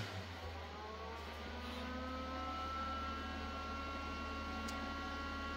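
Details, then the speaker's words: PC boot on Supermicro H11SSL-i with AMD EPYC 7282: steady hum with whirring that rises as fans spin up; CPU fan starts a little noisy and one front case fan runs rough and loud. "So, the CPU fan does start up a little noisy. I'm not sure what that other fan I hear is. It might be the GPU fan."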